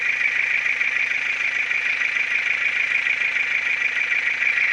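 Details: Ford Focus 2 1.6 100 hp engine running steadily with a sharp fast tapping on top at roughly three per second; internal engine knock, cause not yet found.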